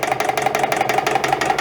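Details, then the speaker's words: EPKU-1.7 compressor block before repair, on a test run, with complaints of cylinder knocking and oil throw-out: fast sharp metallic knock at about eighteen beats a second over its steady run; a piston pin has come out of the piston. "Вийшов палець. Вийшов палець з поршня."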